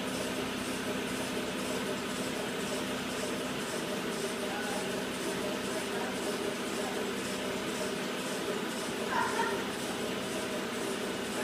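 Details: 2009 Citroën Grand C4 Picasso during a test drive: a faint high chirp repeating about twice a second over a steady engine, a cyclic/intermittent squeak from the engine that the seller blamed on the belt after long sitting. Source unconfirmed.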